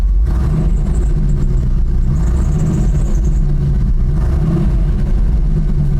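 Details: 1989 GMC Sierra 3500 350 V8, just started: low idle rumble with an uneven, stumbling beat that comes and goes; intermittent misfire.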